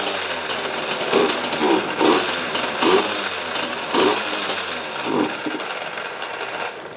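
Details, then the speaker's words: 2003 KTM 50 Mini Adventure two-stroke after carb cleaning, oil injection blocked off and fresh premix: revs surge and sag in uneven bursts about once a second, then fade; bogs and won't stay running, seems fuel-starved (suspected, not confirmed). "sounds like it's starving for fuel. Maybe it just needs to be cleaned out."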